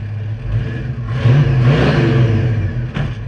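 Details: 1970 Mustang project with 429 engine, at muffler shop: deep even V8 burble rising cleanly on a blip and settling back without rattles or misses; sounds healthy.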